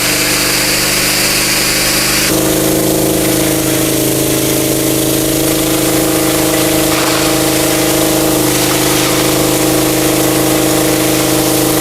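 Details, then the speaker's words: Mitsumax 10 hp vertical single-cylinder diesel on a 3-inch high-pressure water pump (3,000 rpm rated), full throttle: steady drone settling slightly as load comes on, pulling evenly, pressure hard to hold; normal running under load. "เอาเดี๋ยวรอสักครู่โอ้โหถือว่าแรงดันสูงมากนะครับนี่ผมใส่หัวปรับฝอยเข้า"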